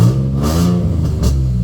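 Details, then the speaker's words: Nissan 350Z VQ drift car, warm with perfect oil pressure, after new spark plugs, valve cover gaskets and sensors fixed a misfire: a smooth, even engine note that picks up cleanly on a brief throttle blip with no stumble or miss. No leaks. "she sounds amazing."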